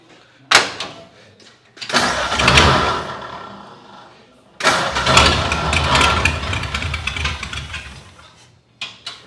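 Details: 1932 Ford project car, gas poured down the carburetor: several bursts of cranking while trying to get the fuel pump to pick up fuel, and the engine never catches. No fuel delivery yet; fuel later appears in the clear line.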